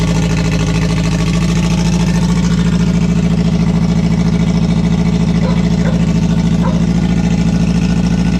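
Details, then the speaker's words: K24 jet boat engine on methanol, EMS ECU, first start after build: steady even idle at about 200 pulses a minute, no knocks or rattles; everything works, normal idle. "all right so yeah as you can see it all starts up everything works well"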